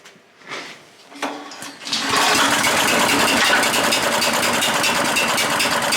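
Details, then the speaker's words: Auction chipper/shredder's small single-cylinder engine cranks a few times, starts quickly and holds a steady, busy buzz that never changes speed; it runs nicely, but the throttle doesn't seem to work. "The throttle doesn't seem to work, so let's start it up again and we'll see if we can get the throttle to work."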